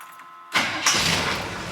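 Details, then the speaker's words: GM V8 with newly fitted Summit Hi-Torque SUM-829105 starter; a short whirring crank, then the engine catches quickly and settles into a steady run, the starter sounding healthy. "now we're going to listen to the starter cuz we're going to see how different they sound"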